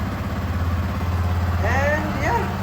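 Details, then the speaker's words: Yamaha R15 v2 single-cylinder, about 7,600 on the odometer, started after sitting unused for a couple of years; steady even beat at a slightly raised idle with no misses or knocks, runs fine; fuel-burning smell noted. "it works perfectly fine even couple of years it has never been started it works fine"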